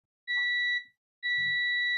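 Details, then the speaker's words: Multimeter continuity test with crocodile clip on replacement tactile buttons desoldered by hot air for a defective 200 g mini scale: two clean steady high beeps, the continuity tone on a closed circuit. "You can hear the tone if there is continuity."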